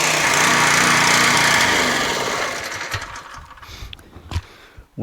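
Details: Pressure washer stored since last summer, water hose attached, switched on and still choked; small engine runs with an even buzzy beat for a couple of seconds before shutdown, no misses; normal running.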